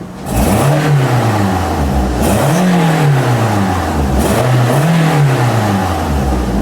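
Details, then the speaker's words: 2014 Toyota Corolla 1.8 L petrol, check engine light on (P0420 catalyst efficiency, P1604), revved several times. A raspy, puffing edge on the exhaust note as revs rise confirms an exhaust leak. "Actually, this thing has an exhaust leak. So right there, as you can see, the check engine light is on the dash. I'm gonna rev up the engine. It sounds like this vehicle has an exhaust leak."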